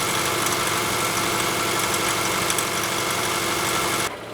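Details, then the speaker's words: Car engine, hot only, around 1500 rpm; fast tinny rattle of about four per second over steady idle hum that continues when held steady or accelerated; exhaust tightened with no looseness found, carbon deposits suspected, source unconfirmed. "más o menos cuando empieza las 15 revoluciones empieza a zonar ahí ese pequeño cascabeleo que tiene y si se le mantiene constante o acelerado ese cascabeleo sigue"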